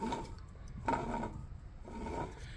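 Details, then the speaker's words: Club Car golf cart motor turned by hand: slow scraping strokes as the armature rubs the inner field pole (electromagnet), likely caused by slight play in the bearing; rub shows as a shiny spot. "so that little bit of play there with that bearing it's causing the rub there on that inner well electromagnet so yeah that's probably where it's from"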